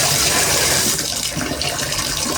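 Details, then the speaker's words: Symmons shower valve after a spindle replacement for a running valve, handle at the in-between setting. Strong, steady hiss of water at almost full pressure with no sputter or whistle; normal flow. "I mean, that's got almost full pressure on it right there, right in the in-between. I think you got it."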